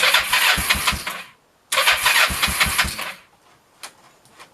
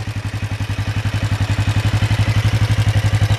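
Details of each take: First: 1996 Kawasaki Vulcan 500 after carb removal and refit, cold, on half choke: engine coughs and stumbles in uneven bursts, sputtering and dying repeatedly, won't hold idle; owner suspects idle set too low or engine too cold. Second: 1996 Kawasaki Vulcan 500 V-twin after carb service and an oil refill of about three and a half quarts: deep, even thump about ten beats a second at idle, steady with no clatter; carbs not leaking, no smoke, running well.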